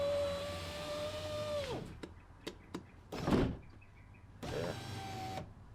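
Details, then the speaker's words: 2007 Mazda 3 rear right window after new power window switchboard installed: smooth motor whine that drops in pitch and stops with a soft thud, then runs evenly, no grinding or clicking; window works normally. "all right looks like it works"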